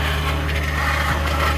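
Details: 2021 Ford F-150 PowerBoost on a remote cold start at -16°C: a loud, rough, raspy grinding or cavitating whir over a steady low drone, with a click. It occurs only at about -11°C and below, and the cause is unknown.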